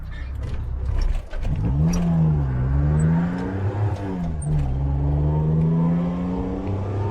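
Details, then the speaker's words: 1985 Suzuki Mighty Boy on a drive after 50 days sitting, a bit of choke on: engine revs, pitch sags and stumbles briefly then picks up; intermittent hesitation, owner suspects the carburettor. "since that bit of hesitation off the top there i have to get that carb looked at again i think only happens every now and then"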